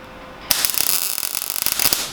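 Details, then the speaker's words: Sharp, irregular crackle and popping for about 1.5 s, harsh and spattery, while beginners weld new steel into a 1969 Ford Capri; the weld is burning through, likely because of big gaps in the panel fit. "that sounded too bacony, mate. Too crispy. Why is it doing that?"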